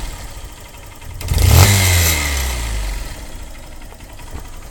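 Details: Honda CBF125 single-cylinder idling, then blipped and settling back: a sharp puffing tick from an exhaust leak at the cylinder-head port, where the single-use seal needs replacing.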